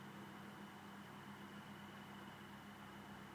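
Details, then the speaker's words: ILG exhaust fan, 115 V, run from a 230-to-110 V adapter, open motor with no housing or guard, built to run constantly ventilating commercial properties: quiet, even hum and smooth airflow hiss, no rattles or scraping; normal running. "quite a breeze. And that was just designed to run constantly to ventilate commercial properties."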